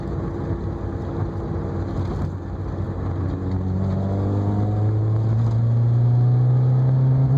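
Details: Toyota AE86 revving: pitch climbs smoothly, but a steady low chuff of about four beats a second pulses through it; a misfire is suspected, not confirmed.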